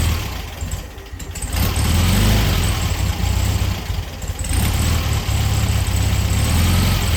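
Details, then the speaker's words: 1973 VW Beetle flat-four with new clean carb just fitted, oil breather filter added: uneven lumpy idle with brief surges, not settling; carb needs adjustment, mixture suspected off. "start it up after we had the carb on there it's running not very good need some adjustments"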